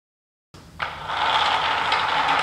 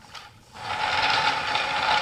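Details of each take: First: Homemade wooden flat thrust bearing with 5/8" ball bearings in a 5/8 core-box-cut trough, spaced by a hardboard cage, turning very smoothly: even rolling hiss, no clicks or catches; normal smooth bearing rotation. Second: Homemade wooden flat thrust bearing with a 5/8" core-box-cut trough, run on black/red 9/16" glass marbles too small for the groove: continuous dry scraping with faint ratcheting as the race rubs on the cage.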